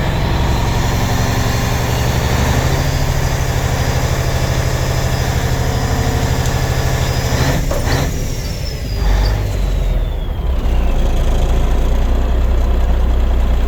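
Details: 1993 International 9200 with N14 Cummins diesel, 10-speed manual, no-start truck sitting since 2008, now running and building air pressure: deep, steady diesel clatter at idle with air brake hiss midway, no misses; sounds good, normal idle.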